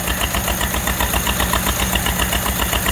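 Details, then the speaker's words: Model A Ford Roadster Deluxe, first run in 37 years after timing set by hand: even, steady idle with regular firing pulses about two and a half per second and no odd knocks; healthy, sounds great. "Model A running. 37 years later. Sounds great."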